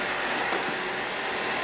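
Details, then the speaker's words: HVAC training board, thermostat bypassed by jumping G to R: relay click as the power switch turns on, then a steady, even rush of air with no knocks, rattles or squeal. Normal indoor blower fan operation. "my power switch is in the off position and when i flip it on you're going to hear a click that's going to be this relays contacts closing and the fan is going to start"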